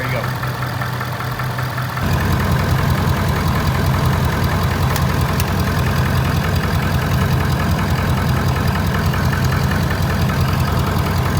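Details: 6.7 Powerstroke diesel after a CCV reroute install with the fuel system primed: it cranks briefly, then catches into a steady diesel idle with an even clatter and no misses or knocks; normal idle.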